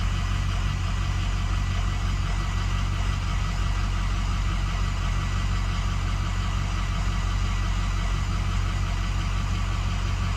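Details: 2006 6.0L diesel, hot crank no start with ICP sensor unplugged after new ICP sensor, pigtail and IPR valve: steady low starter churn, about four compression beats a second, turning evenly but never catching; cause suspected, not confirmed.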